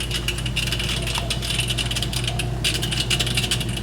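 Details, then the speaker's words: GE dishwasher making a racket in drain mode: steady pump hum under a busy, clattering rattle from a hard object caught at the chopper; foreign object in drain chopper. "it's going to be something inside that the waist basket I'll let it drain out and then show you what I'm talking about"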